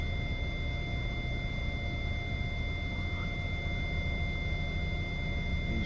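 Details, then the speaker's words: Hyundai i40 with parking sensor system fault, in reverse with nothing behind; a steady, unbroken high beep, a false constant warning from a faulty rear parking sensor. "I put it into reverse immediately I've got the rear one as you can see there's nothing directly behind me on the camera there but we've got a constant beep"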